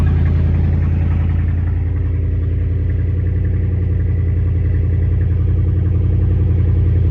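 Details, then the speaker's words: 2011 vehicle idling with the muffler removed during an exhaust repair: loud, deep, blatting idle with a steady low thump about three and a half times a second from the open exhaust. "so I got to know what this sounds like with no muffler on it so here we go key on"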